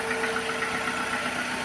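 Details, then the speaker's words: Petrol engine idling with code P0300: faint irregular stumble, engine trembling and jumping in the bay. The misfire is traced to a bad ignition coil, which is then replaced. "Instead of the smooth running that this engine normally has, it sort of wobbles in the engine bay and jumps around a bit. So, you can best see it here. The engine is trembling"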